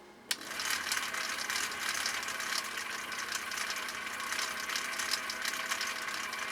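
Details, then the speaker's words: 1959 Husqvarna Viking CI-21A sewing machine stitching upholstery material, stitch three on cam C in slow gear: light even mechanical chatter with steady clicking at reduced stitch rate, motor at same speed, no grinding; running normally. "so you'll be able to hear the motor is running differently i should say it's it's it's running at the same rate of speed but the machine is not running at the same rate of speed"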